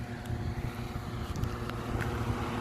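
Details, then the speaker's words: Newly installed attic fan heard from the roof on a hot, humid day: steady low hum with wind rush as hot attic air blows out; running normally. "oh i think i hear it i can hear it working oh yeah it's they're blowing away that's awesome"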